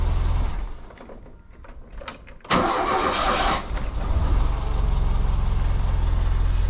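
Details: Renault Fuego Turbo, starter re-tested on camera to check the earlier fault doesn't return (owner suspected a stuck brush): quiet pause, brisk starter burst, engine catches and settles into a steady, even idle; normal cranking and start.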